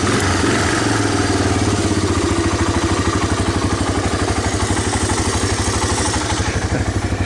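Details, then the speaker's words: 1985 Honda ATC250ES Big Red single-cylinder after clearing a clogged carburetor jet, warming up with the choke off. Steady, even thumping idle with no misses; the earlier stalling at idle is fixed. "So choke is off, it's idling away. Gotta love that."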